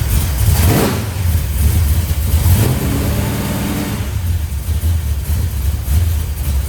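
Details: 1971 Plymouth Road Runner 440 V8 after ignition fixes and timing chain/front cover work, on jack stands, not yet at temperature: catches, blips twice, settles to deep even idle, no knocking or rattle.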